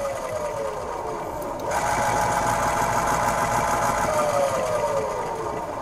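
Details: 1970 RCA YLG43 reel-to-reel tape deck running on test: busy, rapid sewing-machine-like rattling chatter from the transport; worn rubber idler wheels make it noisy, and a missing belt is also suspected.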